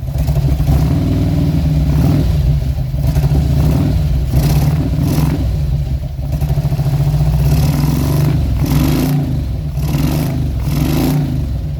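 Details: 2000 Harley-Davidson Road King V-twin, throttle body exposed: lumpy uneven idle stumbling and coughing with occasional backfire through the throttle body; owner suspected ignition timing/ICM.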